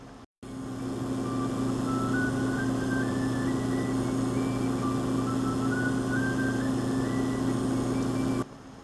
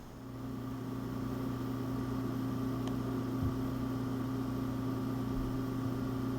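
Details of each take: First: Power Mac G5 desktop computer with a noisy power supply: a steady low hum and buzz, with a faint higher tone stepping upward twice. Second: Apple Power Mac G5 (PowerPC 970) with CPU loaded by a stress program: low, steady hum with soft airy hiss, constant with no rattles or surging; fans quiet and normal under load.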